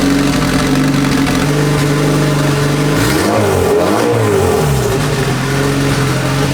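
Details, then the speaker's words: Big-turbo Honda Civic on jack stands, first run after reinstalling turbo and freshly painted exhaust: steady idle then quick rev climbing and dropping smoothly, no ticking or puffing at the manifold; sounds healthy. "I'm just gonna check for oil leaks while I still have it up on the jack stands I'm going to look under it it sounds good though sounds healthy so far"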